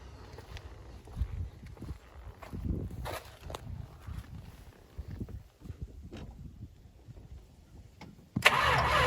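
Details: 1968 Dodge Charger barn find V8 after old fuel pumped out, Seafoam and fresh non-ethanol gas added: several seconds of uneven cranking and sputtering, then catches with loud full roar; healthy start.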